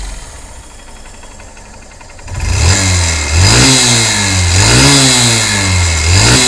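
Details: Honda CBF125 single-cylinder: quiet idle then hard revs with a raspy puffing chuff at the head, an exhaust leak at the cylinder exhaust port; the one-time-use seal there needs replacing.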